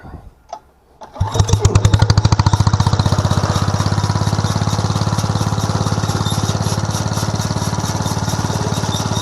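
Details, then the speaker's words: Home-built 1/3 scale mini hay baler/press, small engine, set up stationary with main drive chain off: catches after a second, settles into steady even single-cylinder putter, no knocks or misses; runs healthy. "But let me see, I'll turn the switch on and fire this up and let you hear it run, and then here later I hope to get it set up and we'll do some bales."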